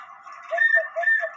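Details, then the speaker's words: Cuckoo clock bellows pipe blown into by mouth to test it; the wooden piece must sit in the right spot: two clear hooting notes, the second lower, each about a quarter second; normal cuckoo call, working perfectly. "a piece of wood here has to be in the right spot in order for you to get the sound um of the cuckoo so I'm going to go ahead and blow one in this hole"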